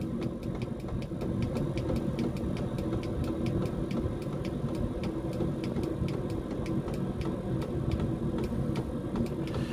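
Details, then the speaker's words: Diesel heater fitted in a foxbox, turned down to its lowest setting; outlet air 87 °C before turndown, foxbox holding about 20 °C (57 °F); soft steady hum with light even pump ticks about three a second, no surging or rattles; normal quiet low-setting operation. "if it does get to ox too out in the fox box you must lower the temperature and then obviously you can even hear it now going a lot quieter and it will just take over"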